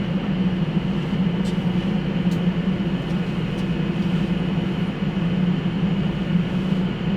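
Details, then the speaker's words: Motorhome rooftop air conditioner, super high efficiency, run from an ALLPOWERS S2000 portable power station drawing about 700 watts: constant low drone with steady fan rush, no rattles, squeals or cycling; compressor started, normal running. "So we're drawing just around 700 watts, and if I remember right, that's what it's rated for. And it's running. It's started the compressor."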